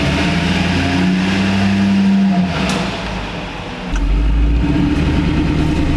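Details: 20-year-old Duramax diesel pickup, recently new injectors, cooling system just opened and topped off, sat a while; steady low idle clatter with one small dip and recovery, no whistles or boost leaks; normal idle.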